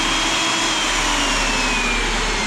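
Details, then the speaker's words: Hougen two-speed mag drill at its higher speed: a loud, steady high-pitched motor scream with no surging or grinding; running cleanly. "But yeah, it's got 2 speeds. You push that thing in and slide it up, and then you can, and it really screams."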